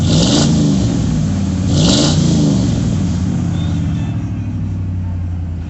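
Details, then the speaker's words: Ford Bronco at idle revs briefly then drops to a low, lumpy, wavering idle that stumbles and sags instead of settling; owner says it never idled like this and suspects tampering. "oh let me tell you see here at idle like that that's not rigged that's not normal my truck doesn't idle down like that make that noise right there ain't like all my vehicles guess what see here here stumbling my truck doesn't do that"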